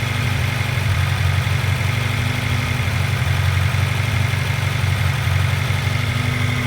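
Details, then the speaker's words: Honda CR-V under misfire diagnosis, with a vacuum gauge connected and throttle cable adjusted; idles around 1,500 rpm, wandering and almost dying, audibly misfiring; unstable idle, owner suspects a vacuum leak, not confirmed. "So, it's not staying idle. not staying at idle very well."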